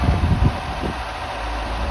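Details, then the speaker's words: Ford Cortina first started after about 32–33 years laid up: short steady low idle after a few lumpy pulses, settling smooth with no tapping noises. "Well, that was idling. Yeah. Um and I say the engine does sound quite smooth. Little bit lumpy here and there, but no tapping noises."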